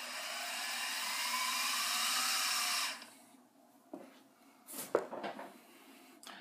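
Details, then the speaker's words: SIEG mill with a sealed, convection-cooled, higher-torque motor and direct belt drive instead of a gear train: a smooth, steady high hum for three seconds, then a quiet spin-down with no gear whine or knocking, so the motor runs normally and quietly. "And because this one does not have a gear train, the whole mill runs quite a lot quieter."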